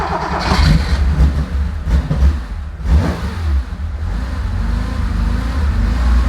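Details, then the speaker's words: Porsche 911 2.8 RSR build running on a Link ECU after fresh high-zinc oil, new filter and reinstall: engine catches and settles into a steady, even run with clean throttle blips, no knocks or misses; normal running. "all right well it runs"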